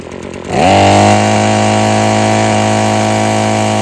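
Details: Husqvarna string trimmer after freeing a sticking trigger and adjusting the carburettor: starts and climbs to a clean, steady high-rpm scream with the line whistling, holding full revs without sagging; normal high rpm.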